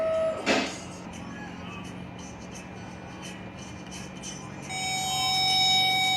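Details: 2004 Infiniti G35 with a no-start complaint, owner suspecting the starter. With power applied to the starter via a power probe, it gives a short crank, then fires up cleanly and settles into a steady, even run.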